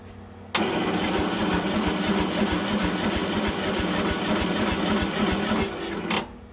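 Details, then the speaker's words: Briggs & Stratton mower on a digital battery charger, safety wire harness unplugged: about six seconds of slow cranking, roughly three pulses a second, never firing; compression seems present but the battery is weak, and a lack of spark is suspected. "We're not cranking very quickly. It sounds like we have compression, just no battery."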